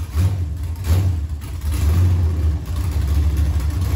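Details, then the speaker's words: Junkyard aluminum LM4 5.3 LS V8 on the ground after installing a Tick Performance Stage 2 cam (229/235, 111+2), open headers; deep, loud lumpy rumble revving and settling to a choppy idle, healthy, aggressive cam. "there's a zero percent chance it picked that up on audio and just probably both phones are just completely blown out but that sounded really really good that sounded mean"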